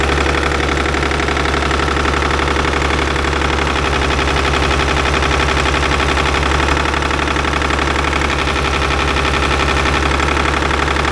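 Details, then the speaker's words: Caterpillar D6 9U diesel, likely a 24 V system started with the compression release: a hard, regular knock about three times a second over a steady idle; owner suspects the number 4 injector, not confirmed. "So I think we're at the point number 4 injector is probably causing the knocking."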